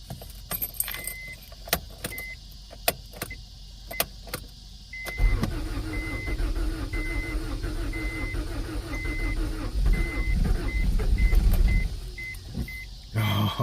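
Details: 1992 Acura Integra, sat over 5 years; new distributor and starter fitted. Chime ticking, then a few seconds of steady cranking with uneven puffs that almost catch but never run. Owner suspects flooding or no fuel pump.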